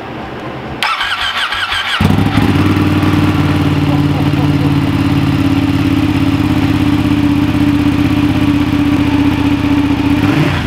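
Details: Ducati Panigale, first start in neutral on stand after installing clear clutch cover with OEM O-ring, checking for leaks: starter whirs about a second, catches cleanly, steady even idle with no knocks or misses; normal start and idle.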